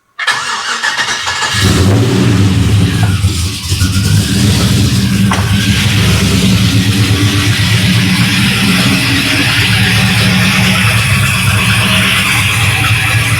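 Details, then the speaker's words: LS-swapped 5.3 V8 Dakota, cold start after sitting about a week, just after installing BTR valve covers with coil brackets: cranks briefly, catches cleanly, settles into smooth steady idle with no miss or ticking, all eight firing; healthy. "so let's go back here and turn the battery on see how this cold start is on this trip all"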